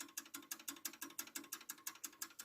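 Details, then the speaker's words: Cheap German mantel clock, striking train removed: sharp, crisp ticks about five or six per second, far too quick; mainspring overpowers the small platform escapement, balance pin audibly hitting the pallet, cannot be regulated. "or basically it goes incredibly fast and i cannot regulate this one either you can hear it's going very very fast"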